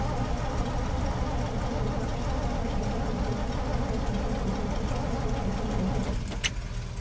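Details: 1968 Chevy pickup on a cold snowy day, jump-started, its starter churning steadily with no firing: a hard cold start starved of fuel, later fixed by priming.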